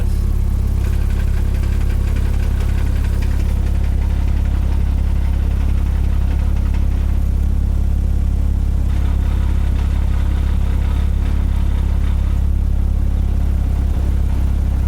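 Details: 2006 Porsche Cayman S with lightweight flywheel, warm idle at operating temperature with AC on: light uneven clicking, two to three per second. It stops with AC off, clutch depressed, engine cold or driving in gear. Owner concludes throwout bearing; friend suspected AC bearing.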